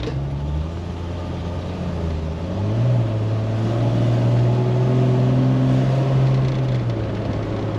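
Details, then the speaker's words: 1999 Jeep Wrangler TJ in street traffic after the Dana 35 rear diff rebuild, regeared 3.07 to 4.56: steady drive drone rising with throttle and settling on the coast, with no gear whine or clunk. Never this quiet before. Normal rear differential. "I never knew this Jeep was this quiet. It feels good."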